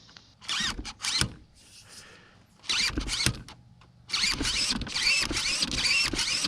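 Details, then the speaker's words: Primal RC Raminator monster truck steering servo with bursts of high wavering whine, sometimes turning fully, sometimes stopping short with occasional clicks; stripped servo gears. "This servo's stripping now. Sometimes it'll turn all the way, then sometimes it will just stop."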